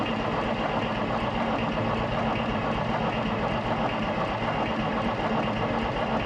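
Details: Road grader 8.3 Cummins diesel after rebuild, throttle held wide open, fuel shut-off solenoid energized: steady starter churn, uneven pulse about 78 a minute, no catch; cranks but won't fire, suspected fuel gunked in pump from sitting.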